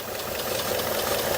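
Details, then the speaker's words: 2018 Ford F150 5.0 Coyote V8 4x4 bought sight-unseen as having engine issues; idling, fine rapid tick and faint hiss heard under the intake; clogged PCV valve with check ball rattling and hissing, but separate ticking noise remains. "Yeah, there's a clogged up PCV valve. I can hear it and I can feel it. There's something in there."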